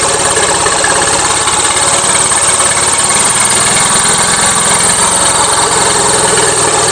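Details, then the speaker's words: Gravely 450 with Onan CCKA twin, shroud off, steady running with a fast light knock over a hissy chuffing top end; running rich, owner suspects compression escaping or piston trouble, doubting cam bearings; engine knocking. "to me it sounds like compression escaping somewhere trick is I don't know which son okay back to the drawing board I'm starting to not think it's cam bearings"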